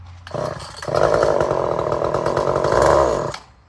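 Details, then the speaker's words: Poulan 1800 Wood Shark chainsaw with strong compression, just fired up on choke after carb adjustment: high wavering uneven buzz, running rich and choked, fuel spitting back out the fuel line. "And now it's pissing gas back out that fuel line. Choking, obviously."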